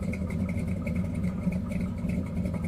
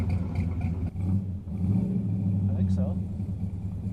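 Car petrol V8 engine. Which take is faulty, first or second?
second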